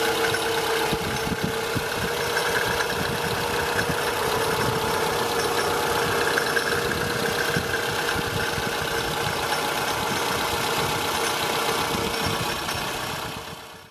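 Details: Toyota Estima ACR30 engine at idle, front belt area: fast, rough shaking rattle, much louder when revved; noise traced to pulley and tensioner, AC compressor failed with oil leak; fixed by fitting rebuilt compressor.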